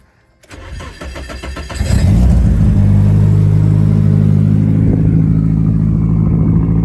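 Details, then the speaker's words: Nissan C33 Laurel SR20 just started: fast, slightly uneven high idle with faint hiss on top; owner suspects a vacuum leak or misfire. "Yeah, you guys can tell there's a little vacuum leak, misfire, something. It's idle and high, and you can hear it hissing right there."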